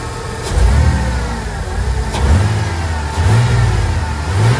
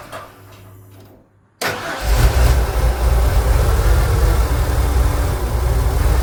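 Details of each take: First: 1999 Ford Econoline 4.9L inline-6 that stalled at idle, no check engine light, after MAP sensor replacement: quick throttle snaps rise cleanly and settle to steady idle with no stumble or stall; healthy throttle response. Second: Ford Econoline van engine starts, then idles with a deep uneven lope and surging and tends to stall, though it drives okay with no check engine light; it runs rich with good fuel pressure, and a faulty MAP sensor is suspected.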